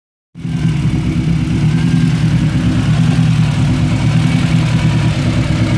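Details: Honda EG with B16A2 engine fitted with CBR954 individual throttle bodies, running poorly and smoking after ITB installation: catches and settles into a lumpy, uneven idle with irregular beat; misfire at idle, cause not yet clear.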